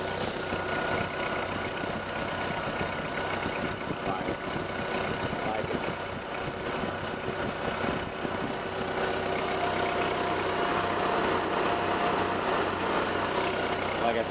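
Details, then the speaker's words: 1948 Ford 8N tractor, hydraulics quiet after earlier howling and squealing that resolved without repair to the hydraulic pump: steady, even idle with no whine or howl; normal idle. "I didn't do anything to the hydraulic pump but whatever was howling the other night it worked itself out I like that I like a lot"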